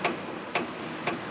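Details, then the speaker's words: 2010 Nissan Maxima front end, stabilizer (sway bar) link rocked by hand gives three sharp clicking knocks; sway bar bushing checked fine, worn sway bar link ball joints cause bump noise and need replacing. "know if you can hear that that's the noise and of course you that noise is amplified by the weight of the vehicle on here it's going to be very very loud alright so we know that these stabilize the links are no good they need to be replaced"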